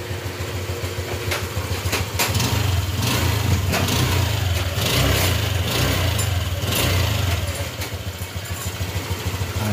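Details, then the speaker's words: Honda Click 125 (version 3) scooter at 82 km, after engine repair for a noise a previous shop's overhaul left unfixed: even, quiet idle with a soft low putter and no knocking or rattling, idle set around 1,500 +200 rpm. "medyo mabilisan yung ating pagv-video dito mga tahinik na rin yung kanyang makina goods na goods na yung kilometer 82"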